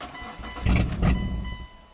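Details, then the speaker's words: 2006 Hyundai Tucson 2.7 V6 AWD, 225k miles, intermittent stalling: short crank, the engine catches for about a second then dies as the main relay drops power; cause (computer command or bad connection) not yet known. "So, is the computer controlling this relay to turn off, or is there a bad connection somewhere? That's our problem."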